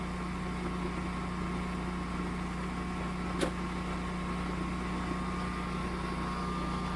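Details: Generac standby generator started by switching the utility service disconnect off, transferring power: quiet, steady low drone with no surging or knocking; running smoothly under the test, normal.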